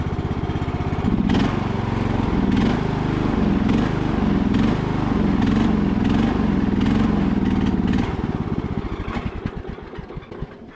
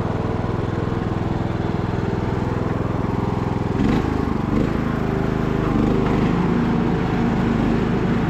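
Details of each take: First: Revived MTD Bolens riding mower with blades engaged: engine pulls steadily, then the beat slows, weakens and dies over a few seconds; it stalled from fuel starvation because the fuel valve had been left turned off. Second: Abandoned MTD Bolens riding mower revived: single-cylinder engine restarted after fuel valve was found off, blades engaged; steady, even drone with no misses, knocks or surging across the run, running super smooth and healthy.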